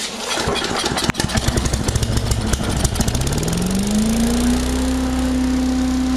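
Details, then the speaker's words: Freshly rebuilt small two-stroke engine, pull-started with choke: catches on first pull, sputters briefly, then rises smoothly to an even, steady fast run; sounds healthy. "Already had it running a quick little second ago and it ran really nice."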